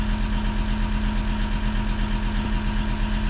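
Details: Diesel at idle during mechanical injection pump timing adjustment (ECU correction for temperature, boost pressure, rpm): steady idle with a firm, slightly hard knock on each firing. Mechanics judge injection still too far advanced; unconfirmed.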